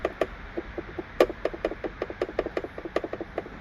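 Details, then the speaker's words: Sharp hollow taps, about five a second and uneven, as trim behind the headliner is pushed; loose factory coat hook mount at the rear of the vehicle rattling, annoying while driving. "And trust me, that is so annoying when you're driving, right? It's nothing you could do about it because it's loose."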